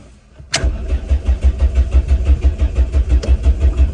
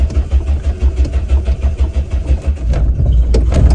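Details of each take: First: Classic Renault 5, 1.1 litre carbureted engine, being jump started: steady rhythmic starter churning, about three turns a second, without catching; slow, reluctant start. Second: Classic Renault 5, carbureted engine, jump started with throttle pumped and more choke: uneven low chuffing about three beats a second smooths into a steady high idle on choke. Normal engine start.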